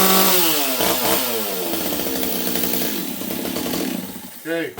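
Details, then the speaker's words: Warm STIHL 026 chainsaw rebuild that previously leaned out badly under cut: revs with uneven burbling blubber instead of a clean scream; carb deliberately set rich, four-stroking. "can see this thing's a little Rich right now I set up the carb so that it would really blubber cuz I wanted to hear it blubber"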